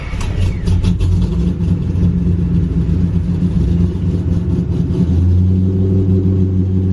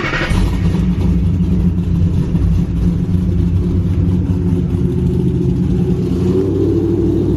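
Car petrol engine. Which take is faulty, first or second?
first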